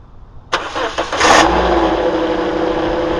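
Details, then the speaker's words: 2009 Toyota Corolla at idle: steady mid-pitched whine over the engine. Rust flakes are visible between the alternator pulley and body, and the belt is slightly overtight. The owner believes the alternator bearing is going bad. Whine at idle. "oh see that right there between the pulley and the alternator body you see rust flakes that's from the internals of the alternator I believe the bearing is going bad in the alternator"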